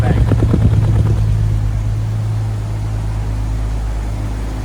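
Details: Jaguar XJS V12 running at idle, lumpy uneven exhaust chuff, missing badly on one bank from a bad fuel injector, before injector replacement.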